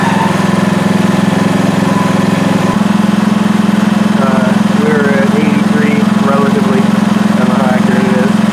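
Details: PowerSmart MB5040B 4400 W generator with eco mode on at about 3000 W load, after cooling down from an overload test: a steady, even low hum with no hunting or surging. It runs smoothly under load.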